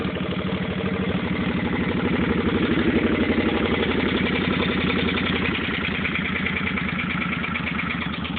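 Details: 2005 Suzuki Boulevard C50 V-twin, just bought, recorded on a phone: light quick tapping over the idle that keeps pace with engine speed as it revs; engine tapping noise, cause not yet pinned down.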